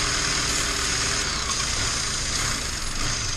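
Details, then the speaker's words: 2011 Chevy Cruze at idle: loud steady hiss sitting high over an even idle, unchanging; massive intake-side vacuum leak, before repair. "Gonna try to show you how this is leaking and see if we can get the car to run."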